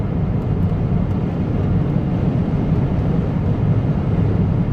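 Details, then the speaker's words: 2011 Peugeot 508 GT 2.2 HDI diesel (200 hp), full throttle in second then fourth gear while driving: a steady heavy drone that never builds boost or whistles. Live data shows turbo underboost and lack of power, blamed on a faulty turbo. "okay so second gear my foot is all the way down there is no Turbo so fourth gear my foot is all the way down look how much this he was asking for"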